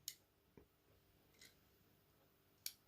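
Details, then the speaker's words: AEG/Bosch/Siemens ceramic hob ring switch after adjusting contact position: four crisp clicks as the knob turns, contact making and breaking cleanly; switch now correctly set. "now you know here when it's just activated this jumps up and gives you contact okay"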